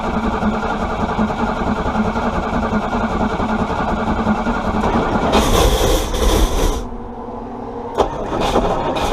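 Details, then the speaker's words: Chrysler 318 V8 being brought back to running: it runs steady and even, takes a quick throttle blip and settles back to an even beat, sounding fine. "That sounded kind of good, I think. I'll have to watch the video."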